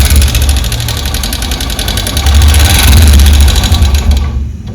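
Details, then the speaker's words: Honda SP125 BS6 single-cylinder engine at idle, before repair: loud, sharp top-end ticking knock about three times per second; broken rocker arm roller bearing, found when the engine was opened. "ब ये आवाज एक अलग ही आवाज है इसे खोल के हम देखना है देखते हैं क्या है"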